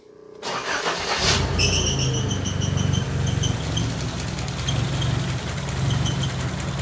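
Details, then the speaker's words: Nissan 200SX S12 dual-coil engine, intake coil fed exhaust-side signal: starts then ragged stumbling idle with uneven beats and high whistle; runs awful, not a signaling issue, owner wonders if intake coil fried; rough running. "like crap that's awful so it runs like dog dooo running on the intake coil"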